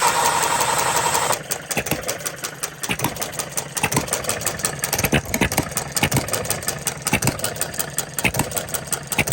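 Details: Restored Coles engine on regular gasoline, ignition timed about 6–8° after top dead center (it seemed to knock at TDC on bad fuel): fires up into an even string of sharp, steady pops, no misfires or pinging; runs smoothly.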